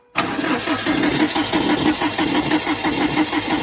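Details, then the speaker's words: Subaru cranked with fuel pump relay unplugged to build oil pressure after timing belt work: steady cranking with rhythmic chuffing and faint scraping rub each turn; something suspected inside the timing cover, possibly bad bearing, not confirmed. "um yeah it almost sounds like there's something inside that timing cover one more time"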